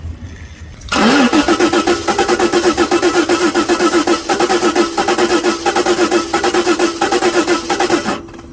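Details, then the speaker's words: 1988 Jaguar XJ6 (XJ40) after water in the fuel tank; plugs cleaned and starter fluid sprayed into every cylinder. The starter spins it steadily at about four compression pulses a second for seven seconds, only one cylinder kicking, and it never catches; crank, no start. "well I just gave the plugs to clean and I punched and sprayed a whole bunch of starter fluid down every one of the cylinders and I still get just kicking on one cyinder"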